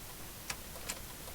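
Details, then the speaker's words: 2004 Audi A4 B6, sitting three years: key turned gives only a few faint irregular single clicks and no cranking; battery is very dead, possibly a poor connection. "it doesn't sound very good not getting a good connection hopefully all right try again think I need a little more juice this batter is very very dead"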